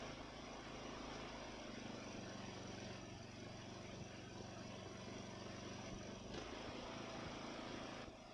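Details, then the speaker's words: Ariens mower with Nikki carburetor, after carburetor cleaning and rebuild (problems with cheap Amazon rebuild parts): small single-cylinder engine holding a steady, even idle with one brief dip; runs smooth, responds to throttle, very little surging. "Wow yeah that's just miles difference from where it was it runs smooth it responds to throttle changes very little surging"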